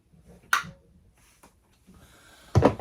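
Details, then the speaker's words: Electric water heater after heating-element replacement, tank refilled with no leaks, about 240 V at the thermostats: one crisp click as the upper thermostat is turned up, switching its element on as it should, then handling noise; thermostats later set just over 125. "so there's the click which turns this one on"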